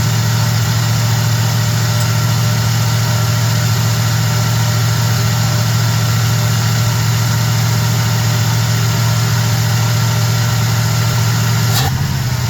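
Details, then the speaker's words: Small block Chevy truck after swapping a sitting Edelbrock carb for a Holley: engine idling on its own for the first time while idle is adjusted, no tach; smooth steady low rumble, even beat, no misses or ticks; normal idle. "messing with the RPM idle. It ain't got a RPM gauge, but it sounds pretty good, though. Listen, you hear that? It's idling for the first time."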